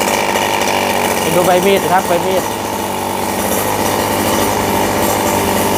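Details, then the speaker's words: RBC 411 four-stroke brush cutter with broken clutch bowl, after replacing damaged clutch shoes: steady buzz, no rattle, scrape or clunk from clutch or blade; normal running. "ไม่มีเสียงดังเลยนะครับไม่มีนะครับ"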